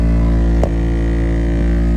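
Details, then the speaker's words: Chrysler Sebring heater blower motor, car sat through winter under a cover: steady droning fan hum with a rough, uneven, terrible noise. The owner suspects squirrels or rats nesting in the heater box left debris in the blower. "oh my god right it's blowing okay so now we want to see what what what is making that noise i am hoping that it was just squirrel"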